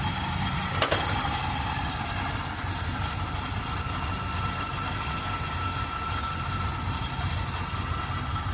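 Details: 1978 Chevrolet Custom Deluxe truck, engine freed from being stuck after sitting for years, carburetor had water in bowl: low loose, uneven chuffing idle about three pulses a second; not idling great, cause unconfirmed. Rough idle.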